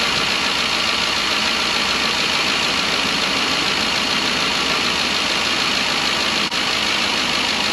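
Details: 2012 Ford E350 van at 170,000 miles, after replacing a coolant-leaking intake manifold with a Dorman part (intermittent misfire, coolant in plug wells): steady, even idle with a smooth hiss-like whir, no misses. Normal idle.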